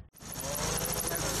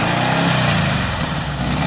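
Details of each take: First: Air-cooled VW with its choke wire disconnected, so the choke sat in any position: loud, ragged clatter with an uneven beat and no settled rhythm; rough idle that still stalled or ran badly with the choke off. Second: VW air-cooled engine with Weber progressive carburetor, sat a while, fired right up after earlier trouble firing a couple cylinders at idle; after throttle blips settles into a steady, even idle with regular beat, no misses.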